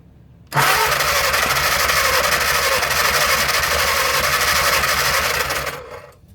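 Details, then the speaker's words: 1937 Willys four-cylinder flathead generator engine, unstarted after sitting covered 15–20+ years, cranked on 12 volts: long even crank at about three beats a second with no catch; transmission fluid in the intake has soaked every spark plug, so no start. "Well, there's a lot of transmission fluid in this intake. Let me see if I can suck it out with a vacuum cleaner, because that may be getting these plugs wet. Yeah, every one of those plugs are soaking wet."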